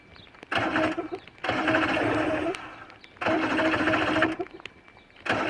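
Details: Johnson V4 115hp outboard after ground wire change: starter cranks in one-to-two-second bursts with pauses, never catching or firing; cranks fine but won't start.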